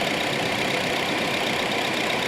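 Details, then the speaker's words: Honda City electric radiator fans after repair of weak fans that let engine temperature rise; idling, running at single step for AC cooling until coolant heats up: steady airy rush, no scrape or rattle; fans running normally. "นี่นะครับเสียงจะดังครับแล้วก็หมุนแรงนะครับเพื่อระบายความร้อนนะครับ"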